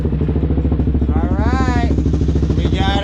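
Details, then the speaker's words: DR-Z engine freshly installed in a 2017 SM S Mutt Mix motorcycle, first start during heat cycle with new oil and coolant, tach reading 1700–1800 rpm: steady, even single-cylinder thumping, no knock or miss; normal idle. "got us a runner. Gosh, she sounds good too. Right now, doing the heat cycle."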